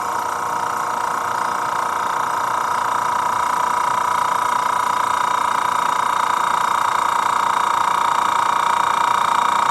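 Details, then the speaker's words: Master Airbrush TC-40T airbrush compressor, new, first pressure-up test after fitting the largest adapter to a Paasche airbrush: steady mid-pitched motor hum with fast even pump pulse, rising slightly as the tank fills; running normally. "So what we're going to do now is turn this thing on, see how long it takes to get up the pressure."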